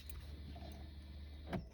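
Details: 2001 Mercedes C240 W203 V6: a low cabin hum with a sharp ticking from the dash, the A/C blend-door stepper motor actuating arm clicking. The fix is recalibration.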